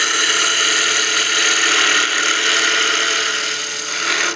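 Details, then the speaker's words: Harsh buzzy rattle over the cut while turning a spinning top on a wood lathe with a half-inch spindle gouge: tool chatter from too aggressive a cut for the support, far out from the chuck at this diameter. "So you can hear that noise. That's just a little bit too aggressive of a cut for the support that we have this far out of our chuck and this size of diameter."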